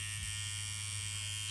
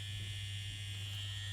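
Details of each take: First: KillerBee tattoo machine being run in after build, voltage dropped back: steady buzz with thin high whistle that returns as needle pressure is unwound and needle sits too far behind the tip; whistle stops once needle is set right. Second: Immortal Innovations KillerBee rotary tattoo machine, run in after building/servicing for despatch: smooth, even low buzz with steady high hum, no rattle or knocking. The start-up noise has settled and the machine runs normally.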